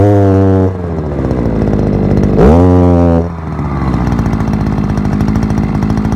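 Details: Forte two-stroke petrol brushcutter, outdoors after piston kit replacement for lost compression and knocking (scuffed piston, blamed on bad or no oil): crisp buzz idling evenly, revs up cleanly and settles back; healthy with good compression.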